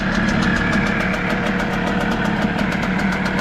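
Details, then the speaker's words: Hangkai outboard, restarted after painting the lower unit: quick, even ticking beat with smooth steady hum and no misses or stumbles; normal idle. "firing it up one more time after painting the lower unit and the CR still running good"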